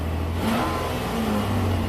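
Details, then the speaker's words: 2005 Nissan Maxima V6 with swapped-in 165,000-mile engine, after repairing the wiring behind a cylinder 3 misfire (P0303): quick clean rev from a smooth idle, steady firing with no stumble or miss; now runs perfect. "Runs perfect. That was the main customer complaint."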